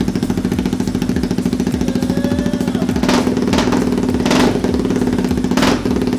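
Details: Honda Grom with swapped CBR250 engine, not run in about two years, running after fuel pump replaced and primed; fires and holds an even, fast beat with a couple of clean blips, no misfire or stumble; normal running.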